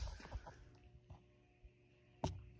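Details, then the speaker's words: Hunter Silent Breeze ceiling fan on medium speed: steady low electrical motor hum beneath the airflow. "I wouldn't call this span Silent Breeze, because listen to this."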